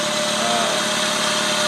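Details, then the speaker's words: Freshly rebuilt engine just started, idling: loud even hiss and rasp over the exhaust with little low rumble; exhaust leaking, with a crack in the intake or exhaust manifold, otherwise running well. "Next thing to do is check the leaks. The exhaust is leaking."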